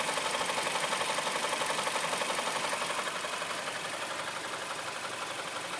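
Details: 2008 Mazda CX-7 at idle with a steady light knock of about four per second; a fault knock whose source is not pinned down.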